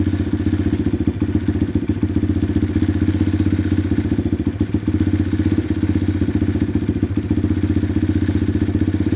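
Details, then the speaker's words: Pit bike single-cylinder idling after the idle adjustment screw is turned clockwise: fast, busy popping beat almost like a light rev. The idle is set too high. "now you can hear how the idle sped up and the Tempo was a lot faster as if I had read the throtle"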